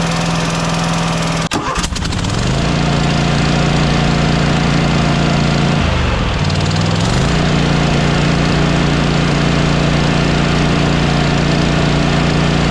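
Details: Lawn mower fires after a few pulls and settles to a steady putter with a dip; a breathy whoosh under the beat shows the head gasket is blown, with blow-by seen escaping at the gasket.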